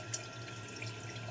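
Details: Kohler toilet running nonstop: steady soft trickle into the bowl with no refill cutoff; owner first suspected the gray wax ring, but the leaking yellow canister flush valve seal (gasket) was the cause and was replaced.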